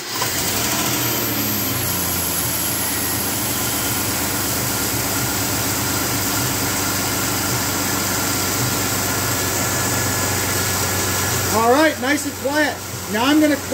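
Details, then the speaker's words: 2003 Dodge Dakota with failed, disintegrating AC clutch, after installing new serpentine belt, engine restarted to check charging: even, smooth idle with no squeal, chirp or rattle from belt drive; normal quiet idle. "So what we're gonna do now is start the thing up and make sure it's charging and that it's nice and quiet."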